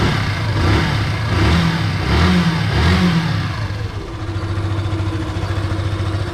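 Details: Yamaha FZ single-cylinder with the clutch-area magnetic part disconnected to isolate a common engine noise: steady, even low idle at about 85 per minute with no odd whirring on top; sounds healthy.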